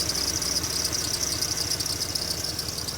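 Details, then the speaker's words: 2002 Jeep Liberty with a replacement engine idling: sharp motorcycle-like puffing chuff on each firing pulse with a hiss, an exhaust leak typical of these engines; also a slight misfire and rumble. "Now, there is a bit of an exhaust leak right there. You can probably hear. Kind of sounds like a motorcycle running."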